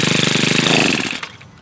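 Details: New Home Depot tiller, small single-cylinder engine: quick, even popping, running freely for about a second before cutting out; nothing abnormal. Owner suspects stuff in the blades was why it wouldn't start.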